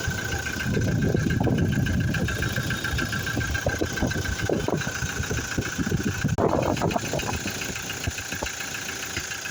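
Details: Toyota Fortuner diesel idling with a loose, uneven clatter over a steady high whistle; engine noise at idle, source not identified.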